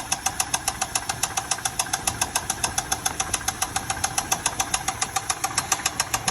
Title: 2000 Chevy Tahoe Limited, making engine noise Need help!!!!!